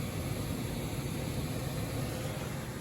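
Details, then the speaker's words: Electric resistance air handler newly installed in a gas-to-electric HVAC changeover, first test run: steady, even whoosh of air with a low rumble and no rattles or squeals. The blower runs normally, though the air is not yet warm. "So now all it's left to do is fire it up, test it out. It just came on."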